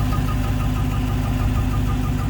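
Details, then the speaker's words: Dodge Charger Redeye at idle: rapid bird-like chirping, about six a second, over a steady petrol idle, heard from both sides and possibly under the car; owner unsure whether it comes from the belt. "like a bird chirping or something under the hood. You hear it from both sides too."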